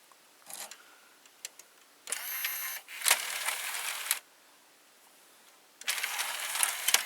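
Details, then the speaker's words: Panasonic SA-HT820V VCR/5-disc DVD combo, changer motor moving to a disc position while ejecting discs 5 and 4; three short bursts of high whirring, each stopping cleanly; normal changer operation. "Yeah, you can hear the motor changing position."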